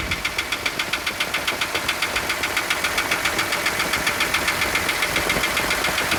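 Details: Isuzu 6BG1 diesel engine in a Hitachi excavator at idle with a sharp metallic knock about two and a half times a second, evenly spaced and steady; engine knock, cause not pinned down.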